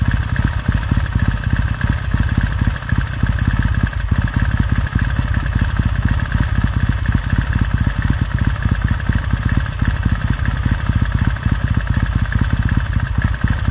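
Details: 1969 Triumph T100C after rebuild, started cold on one kick: cold twin settles into a steady, even low thump with regular firing pulses, no knocks or misses; normal healthy warm-up idle.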